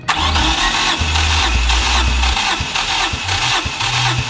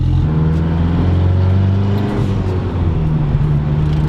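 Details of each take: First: Freshly built 4G63T in a mid-engine Eclipse, first start attempt without base timing set (no timing light): the starter churns unevenly with a brief catch or two that never picks up. Crank, no start, because base timing was not set. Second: Freshly built 4G63T turbo in a mid-engine Eclipse on its second first drive during break-in, boost around 1 psi: strong, smooth drone pulling evenly under acceleration with no flutter, and a jet-like spool. Normal turbo spool.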